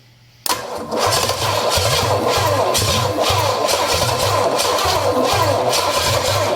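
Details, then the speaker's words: Engine on a project vehicle with a Quadrajet carburetor: short harsh crank, then lumpy pulsing run; starter sounds rough and tired, owner plans a mini starter. Poor-sounding starter cranking. "it's definitely going to get a mini starter cuz this don't sound very good let's try it again"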